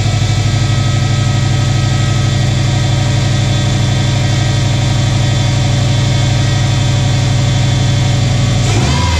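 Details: 2006 Subaru Forester 2.5 on first start after replacing all four coil packs and spark plugs. Smooth, even low idle at roughly three pulses a second, with no misfire stumble or ticking; running healthy.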